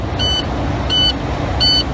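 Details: Truck diesel idling in neutral with all brakes applied after the air tanks were fully drained: steady high beeps repeat about every 0.7 seconds. The low air pressure warning sounds until the tanks build past 60 PSI.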